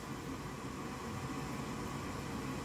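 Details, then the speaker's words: Goodman gas furnace: the inducer fan runs with a steady soft whoosh, but the burner does not light. The control board flashes three times, which indicates an air pressure fault. The faulty vent air pressure switch (B13701-42) is preventing ignition. "can hear the fan but it's not firing up it's still not firing up"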